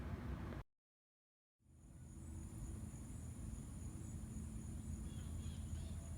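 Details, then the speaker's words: Heat pump switched to heat mode, energizing after a 5-minute time delay with the reversing valve energized, on an 85°F day: brief silence, then a low, even hum builds and settles smoothly; normal heat mode operation. "all right so the system is now running in cool man okay our time delay is over now we are running in cool mode all I'm sorry heat mode"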